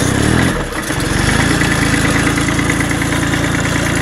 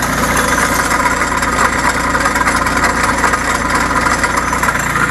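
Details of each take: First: Bolens Iseki H1502 diesel tractor, snowy cold start before warm-up: catches quickly and settles into a steady, even idle clatter with no misses or knocks; healthy cold-start idle. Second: Bolens Iseki H1502 diesel tractor idling after a snowy cold start: steady diesel idle with a constant buzzing rattle over it; a visibly moving loose cover is vibrating and making the noise.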